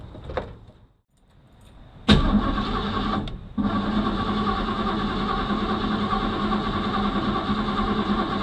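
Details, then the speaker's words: Old Ford Mustang after installing a new flywheel and starter, with a bad battery connection: starter whirs in two short bursts, then the engine catches into a busy, uneven run with a faint rub; owner suspects the plate is rubbing. "so that doesn't sound good i've got something rubbing probably the uh that plate"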